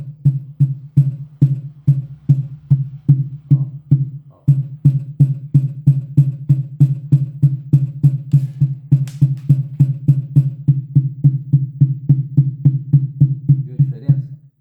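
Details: Datrel AT15-300 passive speaker, new, playing a drum beat: each bass kick brings a brief dry buzz on the thump; owner suspects two white parts on the internal board vibrating, which stop when touched.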